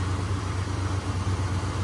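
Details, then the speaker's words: 1986 AMC Jeep Grand Wagoneer, carbureted, shortly after cold start: steady low rumble held slightly high and even, no stumbles or knocks; normal cold fast idle, expected to drop and smooth out in about three minutes. "so even here in about another three minutes it's going to kick down even further and idle even more smoothly than this"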